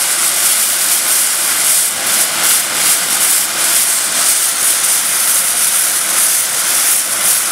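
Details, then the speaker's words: Overtype steam engine with top valve gear, boiler steamed up for first time in 30 years, fire still going: steady loud steam hiss with faint even puffing, no knocks; smooth normal running on first startup. "That is a good first startup. Very good."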